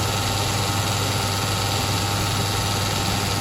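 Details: Sioux valve grinder after fabricating a recirculation oil return pan: constant hum with steady whir on top, no grinding, rattle or speed change; oil returning to pan, slight leakage. Normal running.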